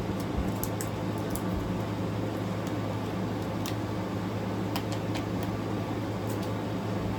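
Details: Newly installed GE AWFS10WWL 10,000 BTU window air conditioner; a low, even hum under smooth airflow with faint light ticks. The compressor is barely audible while the air comes out almost ice cold; quiet, normal operation.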